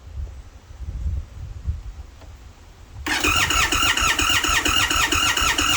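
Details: Indian Sport Chief motorcycle, hard start: quiet, then fast steady cranking whirr with squealing starter note, extended cranking, engine never catches.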